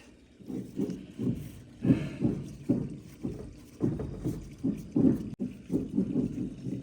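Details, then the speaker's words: Ford F600 truck steering gear box, removed and filled with fluid, turned by hand: rough gritty clunks with each turn; bearings shot, no adjustment left, small seal leaking. "I just fill this thing up you can see and you can hear it bearings are shot"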